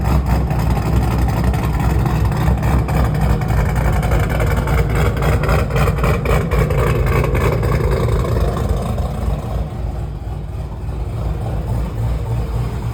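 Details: 2009 GMC Sierra with a Cadillac engine swap, after an upgraded camshaft, lifters and top-end build replaced a failed lifter and cam that caused a cylinder-three misfire: deep, choppy, loping idle that swells with revs and settles back; normal healthy cam idle.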